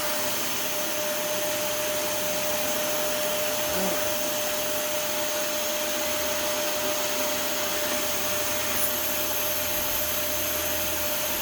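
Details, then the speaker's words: Dyson DC41 after brushroll repair, hair cleared and wheels lubricated: steady even motor whir with high hiss and faint constant tone, no rattle or labouring; vacuum running normally, sounds much better. "That sounds a lot better."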